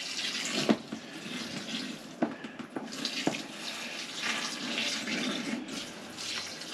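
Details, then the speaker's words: Pressurized heating pipe being cut and capped during a bathroom ensuite plumbing rework: soft splashing and trickling with handling clinks as heating water drains and pressure drops; water draining from depressurising pipe. "heating water will just come out and it will drop off because the pressure drops out of it"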